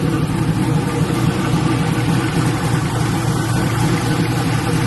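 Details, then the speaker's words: LS-swapped Black Haven Buick Regal V8 idling after a thermostat change and coolant refill: smooth, lumpy idle with an even low pulse of about four beats a second, no ticks or misses; "sounds pretty good". "but on another note sound pretty good pretty good"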